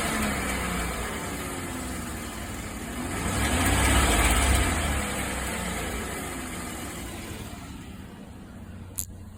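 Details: 2015 Chevrolet Silverado 1500 V8: light, regular ticking about three or four a second while revving or accelerating; cause unknown.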